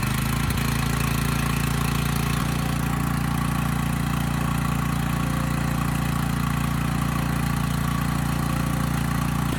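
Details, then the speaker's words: Coleman Powermate generator, just started, carb needs attention (won't run off choke); steady idle with even rattle about three times a second that sounds like knocking but is the frame rattling; frame rattle. "and there was a bit of rattling almost sounds like knocking but it's actually just the frame rattling on this"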